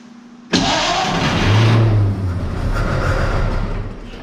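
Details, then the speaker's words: Barn-find 1931 Oldsmobile F31, first start attempt on 12 volts with choke open: starter churns steadily about three seconds, never fires; they suspect not enough fuel reaching the carburetor, though the pump seems to be pumping. "hang on I don't think we still getting enough fuel up to the carb yet but it pumping it's pumping"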